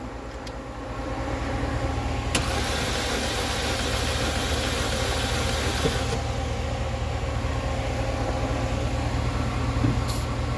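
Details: Chevy Cruze cranks evenly at about three and a half beats per second but never catches; spark plugs checked good, compression test under way, cylinder two being rechecked. Cranks but won't start.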